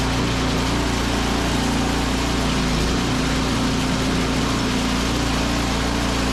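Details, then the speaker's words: Snowblower small engine after drive belt replacement and guide tightening, started on choke with the auger and drive tested. A steady, even buzz with no slipping, squeal or knock: normal running, belt issue fixed. "Beautiful. Really good. So I think you got that all figured."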